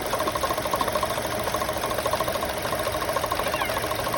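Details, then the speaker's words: 2012 Chevy Cruze at idle: fast, uneven mid-pitched ticking wobble, about three beats a second. Loose water pump pulley from wrong-size bolts; pulley seen wobbling. Correct bolts tightened, sound went away. "it sounds like it's coming from the water pump fully because one of the bolts was loose"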